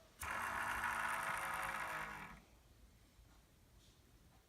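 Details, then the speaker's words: Hand-spun NZXT AER RGB140 case fan gives a harsh raspy whir sliding down in pitch as it coasts to a stop; bad bearing, unlike the quiet rear fan. "okay here is a video which is just me spinning the fan with my finger and it makes that noise"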